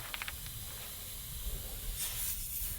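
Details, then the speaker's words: 1987 Mercedes-Benz Unimog 1300L ex-military ambulance camper: steady high hiss from a possibly dry-rotted air hose over low engine rumble, loudest near the end; to be duct taped to see if the compressor keeps up, needs replacing; air hose leak. "for now I'm going to just duct tape it up and then start the truck and see if the compressor can keep up with a slower leak"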